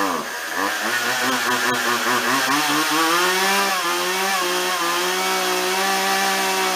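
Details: Old Craftsman chainsaw, 2.2 cu in, 16in bar, unused about two years, after fixing fuel lines (had only run tilted right): revs up from a rough start, settles into a steady, even buzz under cutting load; running properly.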